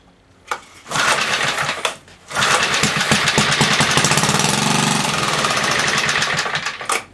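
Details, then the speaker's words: 1976 Tilly rototiller with a 3 hp 1976 Briggs & Stratton, not run for years, gasoline squirted into the plug hole: pull-cranking bursts, then a few seconds of ragged popping that dies; fires on primed fuel but won't keep running. "ready let's see if she fires well we know it will run one more time"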